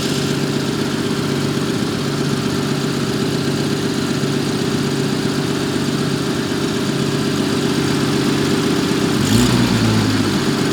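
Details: 1974 Jaguar XJ12 Series II V12 at idle: smooth, even steady hum with no stumbles or missed beats; engine now running on all cylinders.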